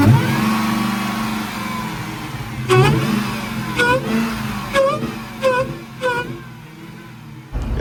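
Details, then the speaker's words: Hellcat Redeye, revving: loud supercharger whine rising and falling with speed plus breathy rush like air releasing, louder than owner expects; cause unknown. "The supercharger sounds loud as hell just now, boy. But y'all, oh, oh, oh. Like it sounds like it's releasing air or some shit."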